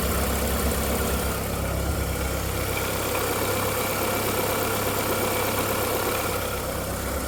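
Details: VW Golf 4 1.6L 16v 105 hp petrol at idle: steady idle with a faint uneven clack, about three per second; whistle at startup fades after 2–3 minutes, then clack-clack inside the engine, owner suspects timing side. Clacking noise at idle.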